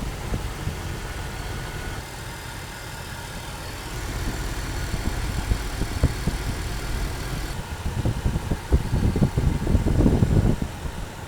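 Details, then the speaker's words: Jeep Wrangler just started, not yet driven: an even low idle rumble with a few stray thumps late on and no misses or knocks. No check-engine lights and temperature steady. Normal idle. "absolutely perfect sounds amazing let me go pop the hood"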